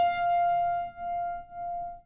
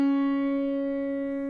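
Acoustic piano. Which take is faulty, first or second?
first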